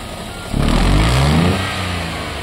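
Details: Nissan Versa 3-cylinder, 271,000 km, customer reports weak running and high fuel use: brief rev from idle sounds rough, popping and misfiring; cause a burnt exhaust valve.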